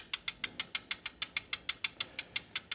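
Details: Ford Expedition running; sharp, metallic, very even ticking at about five per second over little engine rumble; mechanic, looking underneath, thinks something is striking a screw/bolt and suspects that as the noise source, unconfirmed.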